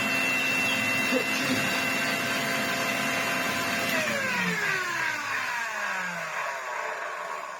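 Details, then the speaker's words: Electrolux Z504 vacuum after restoration, motor suppressor blown and removed, no belt or brush roll fitted: steady high motor whine, no grinding or rattle, smooth spin-down; motor runs acceptably, not perfect. "I'm not going to pretend it's the most loveliest motor in the world. Sadly, I couldn't take it apart and make it the most loveliest motor in the world if I tried. But it sounds good, especially considering the condition that it was in."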